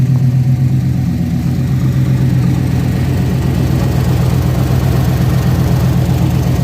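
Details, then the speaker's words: OBS GMC Sierra V8 idling after one exhaust manifold was fixed: quick steady ticking puff about four a second, the other side's manifold now leaking; new gasket still to be fitted. "well sounds like the other side leaks now"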